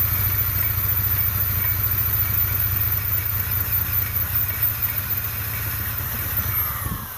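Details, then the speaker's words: Non-running Polaris Trail Blazer 250, exhaust held on with baling wire, cranking on choke with throttle: slow steady chugging, brief hint of catching near the end, never runs on its own; hard starting, needs more throttle as it catches, cause unknown. "Okay, seems like she got close at the end. Yeah, you gotta. I think you gotta give it a little bit more throttle once you hear it start to go."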